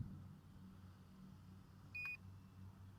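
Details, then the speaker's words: Eachine P-51D Miss Helen 500mm brushless 2S RC warbird in flight: short, shrill single beep over faint wind and motor hum as the lost-model finder buzzer is accidentally activated by holding the one-key-return control for three seconds. "oh no that's the I activated the buzzer I held it down for three seconds turn it off okay shut down the buzzer"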